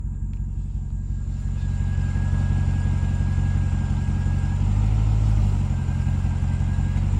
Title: RAM TRX Humming Noise